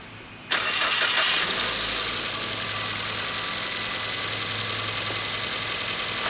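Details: Start from a battery at 12.2 V during a battery test: brief strong crank catches within a second, then a steady, even idle; alternator brings charging to about 14.7 V; normal start.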